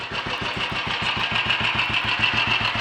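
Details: Royal Enfield 500 single after full engine rebuild (new mains, forged steel conrod with roller big end, forged piston, alloy barrel) and minor adjustments: starts easily, even steady thump about 3.5 beats per second, no knocks or misses; normal healthy tickover.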